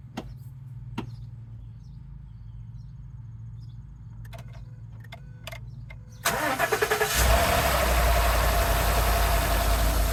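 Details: 2013 Ford F150 after replacing a seized alternator, the battery and the belt: short crank, quick start, smooth idle with no squeal or shake; charging at 14.55 V, healthy.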